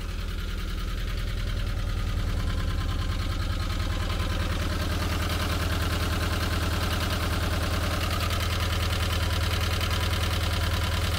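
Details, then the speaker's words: 1985 Volkswagen T25 camper van flat-four idling fast (carburetor idles too high): fast, even light tapping, owner suspects loose valve adjusting screws on one side; replacement screws ordered. "I've also ordered some valve adjustment screws for this side because they're all quite loose and I think that's where all the tapping noises are coming from"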